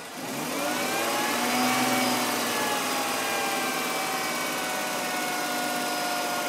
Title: M52 strange noise